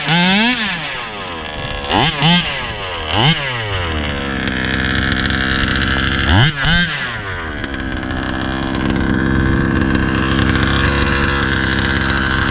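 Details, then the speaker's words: Rovan RC car, 36cc Victory big-bore two-stroke with pipe, hot day: repeated throttle stabs flare high without loading, then a long buzzing run; owner suspects another dog bone issue, transmission trouble; driveline slipping. "sounds like i got another dog bone issue already man what the hell"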